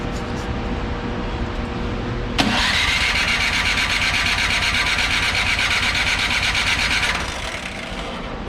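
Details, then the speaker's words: Craftsman 24-inch electric-start snowblower that had been sitting. With choke on and primer pumped, the electric starter whirs at a steady, slightly rising pitch for about five seconds and the engine never catches. A clogged, gummy carburetor is suspected, not confirmed. "okay we have absolutely nothing so the easiest thing to do is to check for spark so um but I bet you the carburetor is clogged up"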